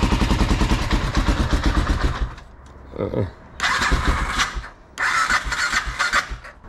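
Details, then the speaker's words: BMW F650 with a blown head gasket after head gasket sealer treatment, plugs cleaned after fouling from idling on choke, battery nearly full: repeated even cranking bursts with pauses that never catch. Cranks but no start; sealer suspected not to have worked. "okay let's see if we R guys that's a no and I don't think this stuff worked"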